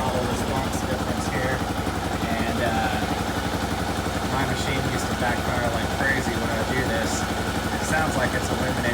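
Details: Kawasaki KLR650 after a carb correction kit install (mixture screw set by ear): the single revs smoothly from idle and settles back cleanly with no pops or backfire on the overrun. Carburetion sounds right.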